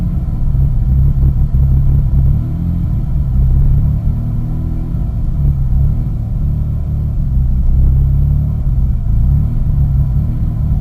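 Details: 2001 Eclipse GT at cold start, idling with a deep, uneven rumble that wavers and stumbles, which settles to a normal idle once warmed up; the cause is unknown to the owner.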